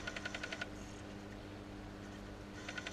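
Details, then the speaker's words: Bose Wave Music System AWRCC5 after reassembly (sold as CD skipping, previous bodged repair), speakers disconnected: quiet runs of sharp ticking pops about four per second over low hum; owner suspects failed capacitors, the usual fault, not confirmed. "That'll be them capacitors. That's toast. The usual fault."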